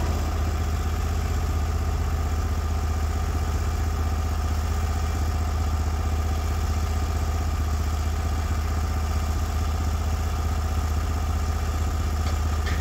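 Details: Norwood HD36v2 bandsaw mill, day two testing new roller guides that replaced the ceramic guides, slabbing big black oak through bark at about 24 in wide: a deep, steady engine drone holds even with no hunting, knocking or bogging; the load is pulled normally.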